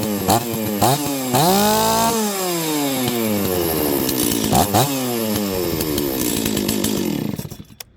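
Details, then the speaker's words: Old Stihl 036 chainsaw after priming, fuel line and filter checked; two-stroke revs up and settles cleanly, crisp even firing with no sputter or bog; runs healthy. "okay so the saw runs beautifully it smells like old dirty shop and uh as I run it it'll probably do better and better"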